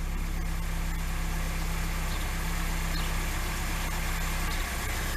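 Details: Carburetted Lada 2102 with a known ignition problem, first started after sitting: low, uneven chug at idle with the beat stumbling. It is running rough; the cause is not confirmed.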